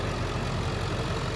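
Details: 2003 Ford F-350 7.3L Powerstroke turbo diesel, 93,176 miles, one owner: engine runs very strong and sounds very smooth, a steady, even idle with a low rumble and no knocks or misses; normal diesel idle.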